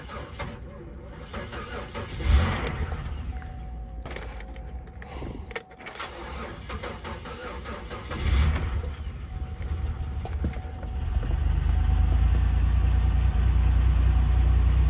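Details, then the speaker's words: Low-mileage Honda Accord marked as a non-runner, cranked on a booster pack; slow, lumpy, very uneven cranking in bursts that sounded almost like a compression issue, before it catches and runs: uneven cranking from weak battery. "if you heard the way she was cranking over I didn't like the way it cranked over you know it almost sounded like there was a compression issue or something not really but the crank was very uneven"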